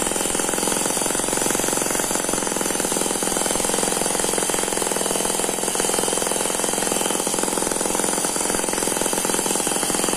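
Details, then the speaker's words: Eachine ET9 (M15) mini single-cylinder gasoline model engine, dynamically balanced with twin counterbalances, made to look like a diesel: buzzes at high steady speed, quick even firing, gear noise like a turbo; smooth normal running, slight vibration from tarpaulin. "very smooth so that's a very smooth running engine it does not dance around"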